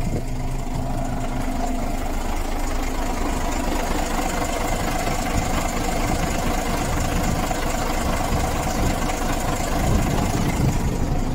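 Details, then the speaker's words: Volvo B10M diesel idling after Bendix AD-2 air dryer rebuild, gauges near unloading pressure: steady low rumble with compressor chugging, no tinkling or leak hiss; air system healthy. "It's not far off unloading if it's going to."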